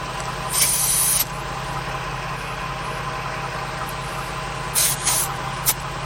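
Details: Onboard air compressor installed in a Ford Transit van, running steadily with short air hiss while reinflating a tyre from 25 psi (36 psi after 30 s) to 49 psi in about 1 min 15 s; normal compressor operation.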